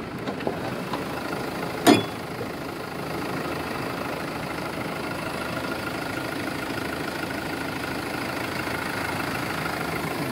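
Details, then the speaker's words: 2016 Mercedes-Benz Sprinter 316 diesel, 163 hp: steady, even idle with no knocks or misses, just a couple of stray clicks; normal idle, though not conclusive of condition. "работает ровно. Но это не показатель."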